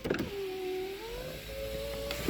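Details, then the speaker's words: 2000 Cadillac Deville rear left power window, which works intermittently and won't move with the door closed. Operated directly from its own switch: a click, a steady motor whir for about two seconds, then a soft stop thump; the motor works. "Now, if I go straight to the window, it'll work."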